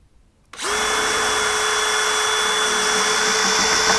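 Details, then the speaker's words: Drilling above a window for curtain fixings: after passing through the plasterboard, the drill holds a steady high whine with a harsh scraping edge and the bit is not cutting, because it has hit a steel lintel. "i've gone through the plasterboard and hit something very hard i think it's steel if i just put this in yeah i can hear that it's steel so we need to drill through this steel"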